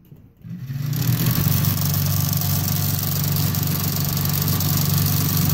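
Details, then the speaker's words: Fireplace insert blower motor after repair with a homemade replacement for a worn oblong bearing, running faster than normal: steady hum with light loose rattle from slop between shaft and bearing; much quieter than before. "still a little bit noisy right here because there is a little bit of slop in this bearing not in the bearing between the shaft and the bearing"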